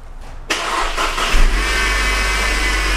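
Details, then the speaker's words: Mercedes petrol engine starting with hood open and all belt accessories on: high steady dental-drill-like whine over the idle from the upper engine area, traced to a worn belt idler pulley, not timing components. "okay and you can hear that whining it's kind of like a dental machine"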